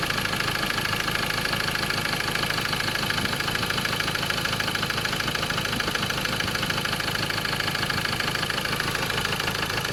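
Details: Ford Ranger 2.2 XLT 2011–2014 manual, diesel idling with a steady, regular knock of about three beats a second over its clatter; engine knocking at idle.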